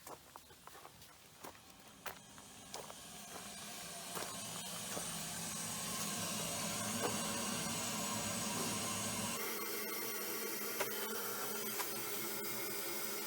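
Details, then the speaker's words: Shallow well pump being drained while winterizing a lodge before freezing weather: a steady hiss and hum with light regular ticking as the system pressure drops; running normally. "can hear it running, you can see the pressure going down."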